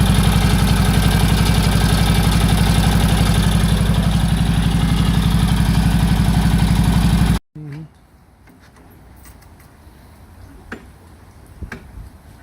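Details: 1946 Indian Chief V-twin, after revival from 12-year storage, clutch linkage adjusted: steady, even loping idle about four beats a second, no knocks or misses, then clean shutoff; healthy and running better.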